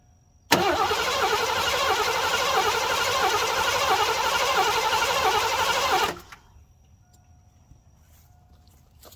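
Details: 1987 Mercury Grand Marquis LS, sitting since at least 2017, fresh gas added: about five seconds of rapid, even starter cranking, roughly three turns per second, that never fires; crank no start, fuel delivery suspected.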